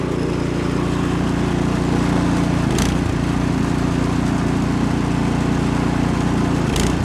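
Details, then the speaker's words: Remington (MTD) snowblower, 208cc Powermore single-cylinder, after new spark plug cured warm sputter/backfire/stalling, warm after 30 minutes running: steady drone sags as augers engage, governor pulls speed straight back up; healthy under load. "I'll even show you engaging the uh augers it puts a load you you hear the load on the engine but it comes right back up with the governor so all is well"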